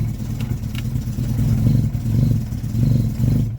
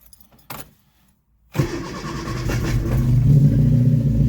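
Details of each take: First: Freshly rebuilt 1311cc A-series engine, first start; runs rough and lumpy, surging weakly without climbing revs. Won't rev due to retarded ignition timing. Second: Freshly rebuilt 1311cc A-series engine after the timing was reset, cold restart with a little choke while warming up; short crank, then a smooth even steady idle with no knocks or misses. Normal idle.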